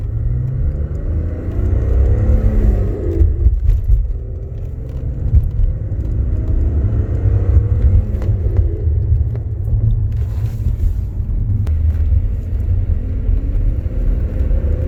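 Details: BMW E46 330Ci with M54 engine and single-mass flywheel conversion (Valeo kit): whirring metallic sound, sweeping up and down in pitch over engine rumble, at the point of clutch disengagement, with slight clutch pedal vibration; cause unconfirmed.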